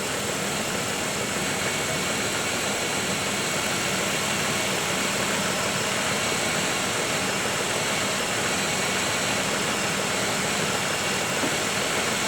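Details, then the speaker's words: 1995 Oldsmobile 3800, first start after timing cover leak and timing chain service, coolant being bled, warming toward about 160 degrees as the thermostat opens, heat in the core; steady even idle under fan hiss; normal warm idle. "the thermostat opens it'll suck all that eventually and look at that we have heap in our core you hear it idling"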